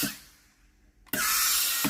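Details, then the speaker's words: Philips GC9682 steam iron: on pressing the water/steam button a loud steady sharp steam hiss sounds at the front; the water valve works normally, and the front heater is clogging and must be replaced. "la estufa comienza a obstruirse. El sonido del vapor se junta. El síntoma de un silbido fuerte no se puede eliminar ni limpiar."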